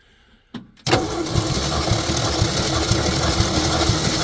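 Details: 1966 Ford F100 compression test, cylinder 3: starter spins steadily at about two even beats a second, no skipped strokes; normal cranking compression, 130 psi.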